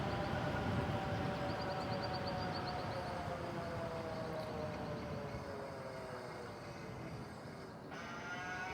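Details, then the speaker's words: Stellar Falcon SE e-bike at full power with battery at 66%: steady layered hub motor whine, pitch drifting with speed over wind noise; bike known to be noisier than others; loud hub motor whine at full power. "okay I'm going to I'm going to full blast this thing this is full blast so at full blast you're can to hear it whine"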